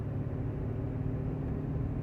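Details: 1995 Honda Accord, about 339,000 miles, still shifts: low steady growl, apparently from front, while coasting downhill off throttle, no vibration; no noise under gas or climbing. Cause unknown.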